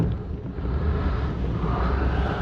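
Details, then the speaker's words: 1973 Cobalt boat with Mercruiser 165hp in cold water, idling about 900 rpm with 20 psi oil pressure and temperature at 140: deep, heavy rumble with wind across the mic; the idle sits low and a bit lumpy. "Idle, right now we're running about, it's cold water out there, buddy. But we're about 900 RPMs right there."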